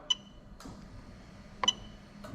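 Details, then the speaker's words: Fuel pump relay active test via scan tool on Lexus LS400 1UZ-FE VVT-i engine harness adapted for IS200 swap: sharp single clicks roughly every half second in a quiet room, crisp and consistent; relay switching normally. "you can hear the relay clicking over there so i'll do it again fantastic"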